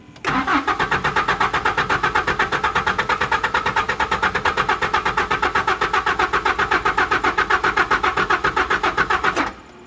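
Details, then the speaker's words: 1992 Mazda B2600i extended cab, about 3 gallons of fuel added: steady cranking at about four compression beats a second for nine seconds, never firing, with the oil pressure light going out. Owner suspects a dead fuel pump. "Actually, the gas gauge did go up a little bit, so it kind of confirms my worst nightmare suspicion. Yeah, the gas gauge is going up, which probably means the fuel pump is quit."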